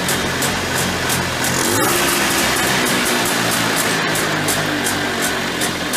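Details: Early-1990s Polaris Trail Boss 250 two-stroke ATV with a clean carburetor: buzzing, raised, hunting idle that hangs and winds out after throttle release. This suggests an air leak from the flywheel-side or clutch-side crankcase seals (suspected, intake boot believed fine), before seal replacement.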